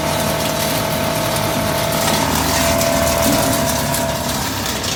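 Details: High-speed plastic shredder/granulator shredding recycled HDPE (RHDPE): continuous rattling chatter over steady motor hum as plastic chunks are chopped; normal shredding.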